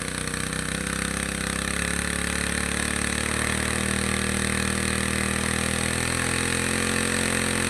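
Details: Two-stroke grass trimmer that stumbled on acceleration, carburetor cleaned and reassembled, mixture screw being tuned (counterclockwise richer, clockwise leaner) to find peak revs then backed off; buzzing pitch slowly climbing and settling; speed change during mixture adjustment.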